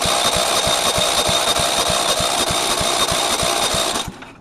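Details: Go-kart lawn mower engine marked 135 industrial commercial, spark plug reconnected. Starter whirs with steady compression thumps about three per second but never fires. Owner will check compression and suspects the electrical system or kill switch; cranks but won't start.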